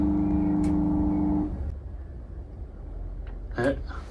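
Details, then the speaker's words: Air conditioner not heating: on start-up the compressor gives a loud steady electrical hum for about 1.5 s then cuts out. The 35 µF capacitor tested good and a larger one didn't help, indicating a seized, locked-rotor compressor to be replaced. "大家对这种压缩机卡缸的有什么好方法吗"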